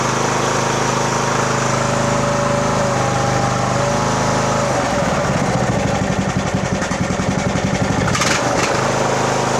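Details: 2014 Poulan riding mower, 14.5 hp single-cylinder, just started with choke in neutral during tune-up, fuel now filling filter; quick, steady putter about three to four pulses a second; runs clean and even.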